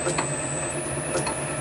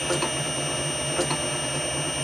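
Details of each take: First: Motor on VFD with carrier frequency (F07) raised: faint steady high whistle over soft low hum, no harsh whine; much quieter, fixing the noise. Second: Motor on VFD with carrier frequency (parameter F07) turned down to 3: piercing steady high-pitched whine over low mechanical hum, almost unbearable; low carrier frequency causes the whine.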